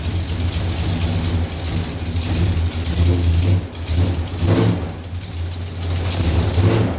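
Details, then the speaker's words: Mopar engine with headers idling after the loose manifold-to-head bolts were retightened. A fast, light ticking in time with the firing pulses is still heard on both sides; exhaust manifold leak, likely needing new gaskets. "[Music] yeah we've got one clicking on both sides so a little bit tighter obviously"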